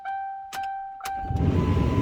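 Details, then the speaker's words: 2009 Lincoln Town Car, key on engine off with HVAC control off: short chime then steady blower fan rush starts immediately and stops at key off; blower never shuts off. "you can hear the lower fan starts running straight away and I turn the key off it goes off"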